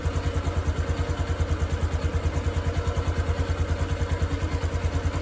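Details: 2022 Honda Wave 110i after modifying the cam chain tensioner and bleeding air from it, for a knocking that appeared only when hot: even idle thump about three beats a second with no cam chain clatter or tapping.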